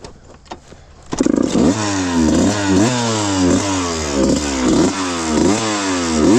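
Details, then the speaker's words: 1995 Suzuki RM125 two-stroke after a shop got it running (previously ran super rich on 180 main/52 pilot and wouldn't idle): crisp crackle revving in quick blips, clean pitch changes, no bogging or misfire; healthy. "I'm going to leave you guys with the nice sweet sound of this RM125 and I'll see you guys in the next video."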